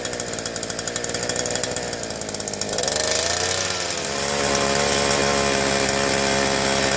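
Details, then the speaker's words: Southland two-stroke post hole digger auger with new fuel lines runs rough and smoky, buzzing and surging after a long warm-up, only on choke, best at half choke; carburetor fault suspected. "Seems kind of smoky. Seems like it took a long warm up period."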